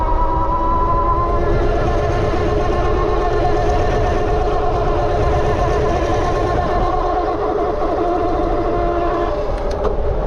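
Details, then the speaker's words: BBSHD mid-drive e-bike with Flipsky 75100 Pro V2 controller, riding: loud steady droning whine holding pitch; noisy drivetrain, owner suspects chain or nylon gear versus a PEEK gear, unconfirmed. "the chain is just going like and it's just like the drivetrain making all that noise"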